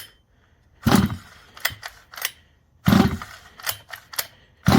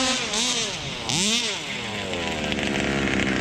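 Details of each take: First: Neglected Rovan Baja 5b 1/5 scale RC two-stroke, fresh fuel, after choke off: catches in short bursts about every 1.5 seconds then dies each time; idle set too low, idle screw turned in, then idles well. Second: Rovan Baja 5b 1/5-scale RC two-stroke, single speed, needles left unadjusted, owner had reported problems: sharp buzz climbs and falls cleanly with each throttle blip, no bogging; normal revving under load.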